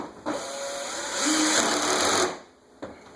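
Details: Air King 20-inch box fan after freeing completely stuck, gummed-up bearings with WD40 (not yet cleaned): smooth motor whir rising steadily then coasting down quietly, no rattle or scraping; fan spins freely, normal running.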